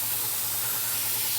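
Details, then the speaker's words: Airbrush at 30 psi: paint flow suddenly stops with the trigger unchanged, leaving a steady high air hiss and nothing coming out. Cause unknown; owner is asking for help. "there we go it's gone nothing's changed on my trigger it's gone nothing coming out"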